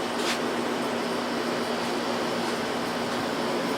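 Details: Window AC unit, R-22 leaked out, recharged with R-152A: steady even whoosh of fan and compressor with no knocks, rattles or cycling, coil cold and condenser hot; normal running.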